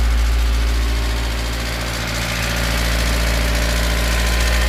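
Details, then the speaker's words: Toyota 5E (possibly 4E) engine: loud diesel-like metallic ringing tick from the cylinder head at idle, about three or four a second, fading when revved; not bearings, rods or crank; top-end knock, suspected camshaft spring. "сильно шумит на холостых оборотах звук такой как будто дизель работает в тоже время это не вкладыши ни шатуны ни коленвал звук идёт откуда-то от башки"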